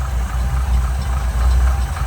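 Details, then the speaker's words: 1971 Chevrolet K10 4WD, 350 V8 with Quadrajet carburettor and points, 4-speed: deep even idle rumble, runs nice and smooth, no misses or knocks. "That really runs nice and smooth."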